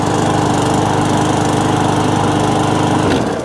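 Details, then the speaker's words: Briggs & Stratton overhead-valve E-series mower engine after a surging fix tried before replacing the carburettor; even, steady note with no surging, though owner says these engines hunt slightly and aren't the smoothest running; normal running. "happy enough of that i mean but they they do hunt two degree anyway but they're not the smoothest running machines"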